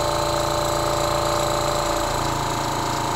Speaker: all right so this is going to be a while to get to the pressure so we're gonna run the compressor till it reaches to 3300 psi